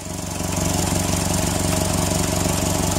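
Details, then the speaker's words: 2002 Toyota Tacoma with a repeat P0136 code at idle: rhythmic puffing tick about three a second from a small exhaust leak ahead of the downstream O2 sensor, disturbing its voltage reading. Exhaust leak ahead of downstream O2 sensor. "see the O2 sensor voltage cycle that's going in through this little bit of a leak which you can hear just that little bit of a leak which it looks worse than it is but it's enough of a"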